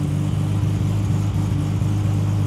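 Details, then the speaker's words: Toyota Supra MK4 with 2JZ 3.4 billet turbo engine, competition oil pump and dry sump, on dyno, mic near oil tank: steady low throbbing drone with oil churning back through return line into tank; normal return flow. "そう、あの騒音こそが、オイルが戻ってくるそこに戻ってくるオイル"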